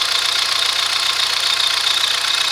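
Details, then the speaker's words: Chevrolet Astra cold engine: fast, sharp metallic clatter over a steady cold idle, quieting once warm; mechanics variously suspect lifters, piston slap, rod bearings or camshaft, cause unknown. "depois que ele esquenta tudo bem cala pouco ele para isso mas por enquanto com esse barulhão aí ó vocês estão escutando aí ó barulhada toda"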